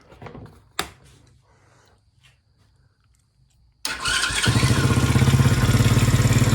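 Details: Kids ATV after a new carburetor, running on a temporarily rigged battery: a few clicks and quiet cranking, then it fires cleanly into a quick, even putter of about three beats a second; runs healthy.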